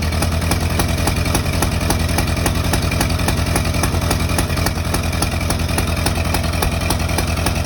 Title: Misfire?